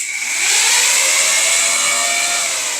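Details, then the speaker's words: Yamaha R6 motorcycle with switch-controlled dual radiator fans wired via a 20 amp fuse: even, loud airy whoosh with steady hum; fans running normally, a bit loud due to dual-fan setup. "Fans work. They're a little bit loud just because they are dual fan setups, but at least they work."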